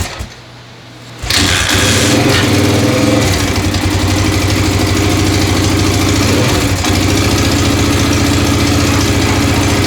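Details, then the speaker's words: 1996 XR600R, newly assembled, catches after kicks on full choke and settles into a fast idle with light tapping over the thump. The owner suspects a valve adjustment is needed, right front, unconfirmed. "sounds like I need a valve adjustment sounds like the right front"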